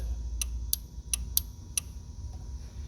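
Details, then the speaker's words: Five sharp, crisp clicks in about 1.5 s when the horn is pressed on a 2011 Dodge Journey: the horn relay, built into the underhood fuse box assembly, switching normally. "When I hit the horn, you hear the clicks? Yeah, that's the relay."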